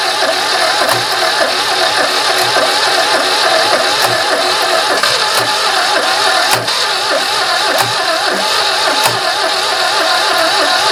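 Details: Barn-find 2CV flat-twin three-wheeler stored 25 years, last attempt using battery and starting spray: cranking catches, settles into fast uneven popping run on its own. Engine starts and runs.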